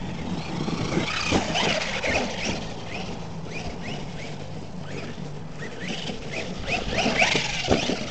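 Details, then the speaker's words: HPI Maverick Quantum Flux MT 4x4 RC truck, first run, 3660 motor, possibly 60A ESC: short rising drivetrain whines on throttle bursts over gravel; owner suspects pinion-to-spur mesh a little tight. "Got plenty of power to do wheelies. Sounds like the mesh might be a little tight on the spur."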